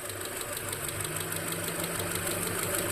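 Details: Owner's sedan engine at steady idle, compared with the identical-sounding Honda CRX: a light, fairly regular tick about three per second that follows engine speed. Possible lifter noise, unconfirmed.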